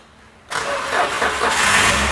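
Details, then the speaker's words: Toyota Grand New Avanza / Daihatsu Great New Xenia after replacing a broken starter relay that had left the starter not turning; after a half-second pause the starter engages and turns the engine over steadily with no clicking or hesitation, cranking normal again. "Nah ya, sekarang starternya sudah kembali normal lagi."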